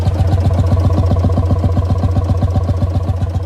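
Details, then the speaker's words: 1955 Lanz Bulldog D2402 single-cylinder full diesel tractor, heard up close at the straight pipe: slow, even thumps near four per second, steady and unhurried. Normal, healthy idle. "but there it is it's got a great little sound to it I get up close you can really hear it"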